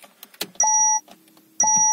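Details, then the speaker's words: Citroen/Peugeot 1.6 diesel with Bosch EDC17C60 ECU, immobilised by an AdBlue no-start fault, after ECU reprogramming: at ignition-on, a few clicks then two clear electronic beeps about a second apart, a normal warning chime before the car starts. "θα πάρει μπρος αυτό δεν μας αφορά είναι για βαλβίδες ότι θέλουν αέρα"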